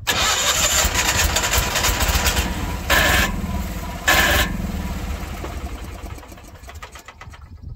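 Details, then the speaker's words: 1986 Ford F8000, sat about 8 years, on starting fluid: catches briefly with a couple of surges while cranking, then fades when the starter is released. Fuel starvation; possible electrical issue suspected. "That is acting like it's losing power as soon as I get off the starter switch. That's interesting. Yes, sir. It's quitting when I let off the starter."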